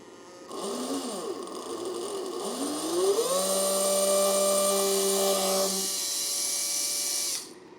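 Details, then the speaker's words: Old drill motor, originally about 7.2 V, run at 7 V with a 10 A limit from a Riden RD6018W; it winds up to a high whine with a rough buzzy edge. Owner suspects a shot bearing. "the bearing is, I think the bearing is shot in this motor, that's why it's making that noise."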